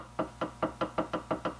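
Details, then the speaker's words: Ford 9-inch differential fitted with used NASCAR ring and pinion gears, carrier bearings preloaded: about five light, sharp clicks a second as the ring gear is rocked by hand. This is ring-and-pinion backlash, to be measured with a gauge. "that little click you can hear that's the backlash that's a little bit it's moving"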